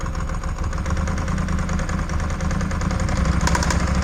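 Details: Ducati 748 brought in not running, first start on 3 L fresh fuel: rough lumpy idle with irregular deep clonks about three a second; debris in the oil makes a crank or main bearing fault suspected, not confirmed.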